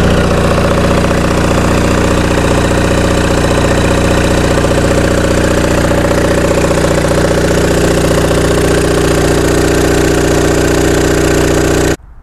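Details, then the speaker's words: Rusty Onan MDJE two-cylinder diesel generator set with Magneciter, on a temporary cooling system, idling steady and even with no knocks or misses; about 9–10 V residual on E1/E2 winding leads; engine judged healthy. "Well, let it run for a while. Sounds good."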